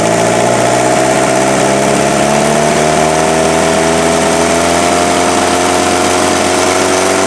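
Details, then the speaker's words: Freshened-up turbo diesel in an offroad Mazda truck idling after getting it running: a steady, even, smooth low drone with no misses or knocks. Much smoother than the previous engine, no smoke; normal diesel idle. "it'll sit here and idle all day though i love it"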